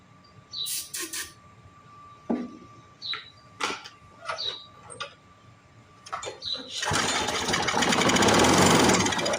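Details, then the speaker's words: Briggs & Stratton 6.0 hp single-cylinder mower engine, freed after seizing from long sitting, lubricant in cylinder, air cleaner housing off. A few cranks and pops, then it runs raggedly for seconds and dies. Brief start; carburetor condition unknown. "all right so we're going to have a runner next question is how nasty is that carburetor"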